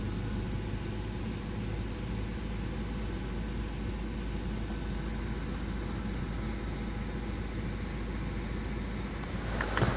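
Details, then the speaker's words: BMW 325i at a quiet steady idle after repairs to the oil filter housing and oil cooler gasket and a new auxiliary belt kit; the earlier loud noise is gone, leaving only a minor injector tick, and the engine runs smoothly. "as you can hear the horrible noise has disappeared there only minor on the injectors but everything else seems to be fine"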